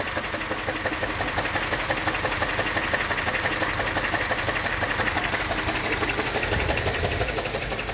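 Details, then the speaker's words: 2007 Mini One 1.4 petrol, six-speed, in good condition: steady but slightly lumpy, stumbling idle with irregular dips in the pulses. A misfire is suspected somewhere; the cause is unknown and may or may not be an easy fix. "now like I said it's got to misfire somewhere um it could be an easy fix then again it might not be who knows"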